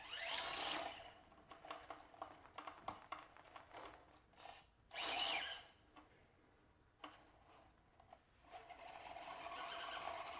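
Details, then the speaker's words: SCX24 mini crawler with a Fedco 6x6 conversion kit, brushless motor and stock servo, crawling on a course: faint high creaks and squeaks in bursts from the rear, like an old rocking chair. The cause is not identified. "I'm getting some squealing in the rear here. You'll hear this when we get on the course, but something in the rear is giving me like an old rocking chair squeal."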